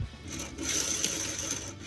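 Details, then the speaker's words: 1966 VW Combi transmission, bearing spun by hand after the side cover bolts backed out and broke: gritty, scratchy rasp with a thin high ring from a badly rough bearing, suspected of running hot. "you hear that bearing bearing is really bad so that's probably"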